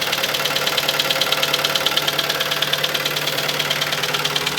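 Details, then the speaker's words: Kia Sportage 2.0 G4KD, about 250,000 km, front-wheel drive, automatic: a sharp, light, even metallic tapping at nearly two per second over the idle, like a small hammer under the hood. Piston slap. "маленький молоточек под капотом звук поршня зад"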